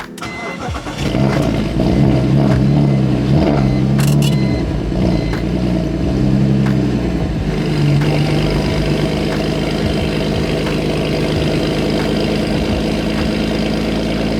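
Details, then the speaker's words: BMW E46 started for the first time after sitting about a month and a half, transmission recently swapped: it cranks briefly, catches cleanly and settles into a steady, even idle with a loud exhaust and no knocks or misses; starts fine. "but it's idling starts fine no problems whatsoever"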